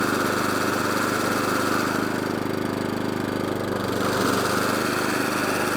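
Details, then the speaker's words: Atco Balmoral 14SK with Kawasaki FJ100D engine, off choke after carburetor clean for will-only-run-on-choke fault: back to full throttle, steady even beat, no hunting or surging, cylinder engaged; running smoothly. "Back to full throttle. Lovely. No hunting. No surging."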